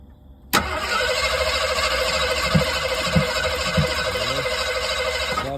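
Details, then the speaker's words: Broken-down vehicle on road trip cranked after shooting ether in: steady starter whir with even compression beat, about 190 per minute, for five seconds, never catches; cranks but won't start. "little ether in it pumped it trying it cranking it we ain't getting well damn it"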